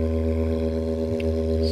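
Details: JBL Charge 2 Plus speaker opened for testing crackling: steady clean low tone with no rattle or scratch; this driver sounds healthy.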